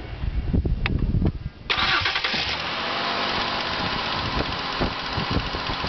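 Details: Engine knock on a newly bought 2005 Ford Escape: the engine cranks and catches, then idles with sharp repeated knocks over the running sound. Knock source still undetermined; the dealer is expected to handle it.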